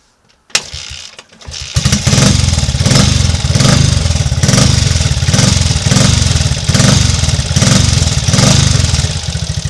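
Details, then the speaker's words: Triumph Trials Cub single-cylinder after its misfire, stalling and hard starting were fixed: fires on the first kick and settles into a firm, even thump with no misses or cut-outs; running normally. "running again and ready for further adventures, although it is coming up time to give the old girl an oil change, so I'll be doing that fairly soon just to keep things healthy."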